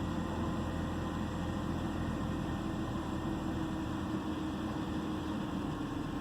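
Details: 2009 BMW 328i xDrive coupe at idle: steady low engine note with a faintly uneven, pulsing beat underneath; misfiring cylinder giving a rough idle.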